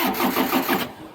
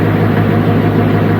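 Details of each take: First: Niftylift HR21D diesel engine after fault 01009B05 (under voltage) cleared with a new fuse: quick even cranking that never catches; glow plugs not heating, so it cranks but won't start. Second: Niftylift HR21D Mk2 lift's small diesel engine, after a blown fuse (error 01009B05 under-voltage) fixed and glow plugs restored, started with starting spray; steady even idle clatter, runs smooth; normal idle.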